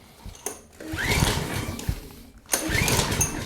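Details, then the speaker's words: Generac/Briggs & Stratton 4000XL generator, 7.8 hp Generac engine, fuel shutoff valve crumbling: two rough recoil pulls spin engine with no firing at all; cranks but no start, cause not yet known. "I don't think anybody's home. What do you guys think? She ain't starting."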